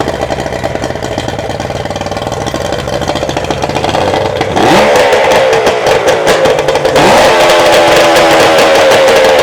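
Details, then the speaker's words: Yamaha 75hp two-stroke outboard uprated to 90hp, first start after full rebuild and rebore with new 90hp exhaust pipe, out of water with no gearbox, on choke: catches and runs evenly, climbing cleanly twice on throttle, loud crisp exhaust, mechanically quiet; healthy. "Okay, so it's alive. Mechanically it sounds quiet and the exhaust is very loud, which is just what we want with the new 90 horsepower exhaust pipe fitted."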